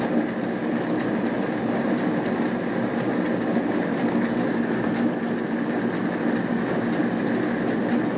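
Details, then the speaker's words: Hotpoint Aquarius+ FDW70 dishwasher test wash, heater working and water hot: steady, even pump hum with water swishing through the bottom twin spray arm, no rattles, grinding or surging; normal wash cycle. "This one doesn't actually have one, it just uses its like twin all spray on, like some bottom holes. Ooh, and that's hot."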